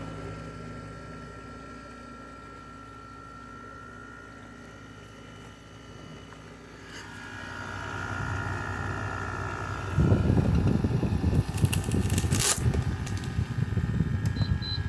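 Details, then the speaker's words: LG 6,000 BTU window air conditioner, about a year old, switched to cool mode: steady fan hush, then a deep low rumble swells in after about ten seconds and holds as the compressor kicks on cleanly; cools well. "Let's see. We can get the compressor. 6. Come on. There it goes. There goes the compressor. You hear that just kicking on?"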